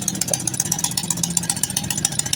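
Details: Honda Karisma/Supra X 125 that dies while riding, stock CDI still fitted: sharp hissy puffs about eight times a second at steady idle; exhaust leaking at a loose joint with the gasket missing, to be fitted with new gasket.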